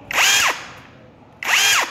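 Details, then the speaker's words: Mini cordless brushless rotary hammer drill on Makita 18V battery, 2-speed, auto-stop mode (reverse direction): two short high-pitched motor bursts, each spinning up and stopping within half a second; working normally. "Auto stop giống như bu lông luôn, để dành bắn quýt cũng được. Đấy, đèn này là auto stop. Đó, bấm là dừng."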